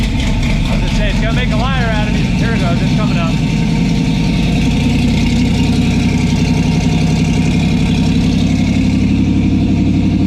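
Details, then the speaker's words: Sub-2,000 lb car of over 450 hp with eight individual throttle butterflies: fast, busy idle, then the speed drops and settles lower and steadier when a thumb presses one butterfly shut. High idle caused by butterflies not fully closing. "so i don't know if you heard that but when i put my thumb on that butterfly the idle came down"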